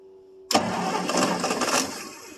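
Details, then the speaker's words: 1963 Ford Thunderbird, 390 four-barrel, unstarted about 3 years, carb overhauled before purchase: a brief crank, then a rough burst as it fires on gas poured into the carburetor before fading; it only catches on the priming, and the power steering pump is noisy once running. "Again. Again. Well, she runs."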